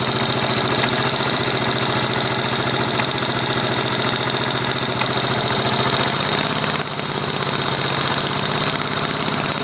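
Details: 1983 Yamaha XT550 single-cylinder idling with a steady repeating knock on each firing pulse, worsening over days, seemingly from right-hand crankcase; unchanged by clutch or gear, fades under load and higher rpm; cause unconfirmed.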